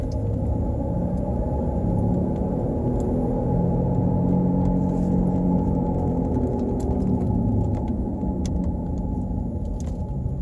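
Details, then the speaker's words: 2007 Pontiac Torrent on the road: a deep, droning propeller-like growl that rises with speed as the car pulls onto the highway, from a badly worn front wheel bearing, believed to be driver's side front left. "there we go I'm ready for takeoff and of course the faster you go the higher the sound gets"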